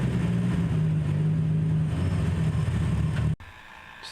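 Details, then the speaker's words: Nissan S14 on AEM Infinity ECU, just running again with oscillating idle: a steady low droning hum over the idle, hard to locate and with little vibration, stops completely when the idle air control valve is unplugged, isolating the noise to that valve. "so I unplugged it and it completely stopped that's a Hayek valve it's around $300 brand-new"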